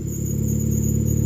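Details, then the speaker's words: 2005 Nissan Sentra on ramps with power steering not working and fluid present: a steady high belt squeal over the idle as steering load is applied; belt tension suspected. "i hear a little bit of squeal coming from the belt as i you know put pressure on the power steering system"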